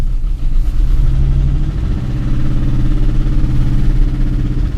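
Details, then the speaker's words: 2001 Volkswagen Jetta VR6 on a test drive under load: loud deep drone with an uneven, pulsing chop like a helicopter, later stalling; rough running, owner suspects it jumped timing given the valvetrain noise. "listen to that kitten purr Oh God this thing sounds like a helicopter"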